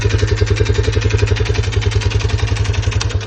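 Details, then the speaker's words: Lifan CityR 175 (162FMK engine), 10,800 km: stalled at about 90 after refuelling, restarted knocking, "unhealthy knock"; sharp metallic knock riding each firing pulse at idle, three to four a second; suspected worn piston, head/rocker/camshaft wear suspected; piston knock. "Після того двигуна запустився, все заробили, але почав стукати. Приблизно такий сном розбирати, будем дивитися. стук такий прям нездоровий, скажімо так."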